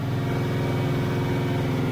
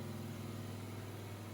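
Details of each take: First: Chevy LT1 383 with a quiet street cam and unported LT4 heads on an engine dyno, pulling hard from 3200 to 6200 rpm, then briefly stumbles near the top; owner suspects an ignition-related loose wire, never found. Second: Chevy LT1-style 383 on the engine dyno, quiet street cam, unported LT4 heads, light roughly 20 ft-lb water-brake load for ring seating: smooth, steady low hum with no ticking or clatter; valvetrain quiet, no loose rockers.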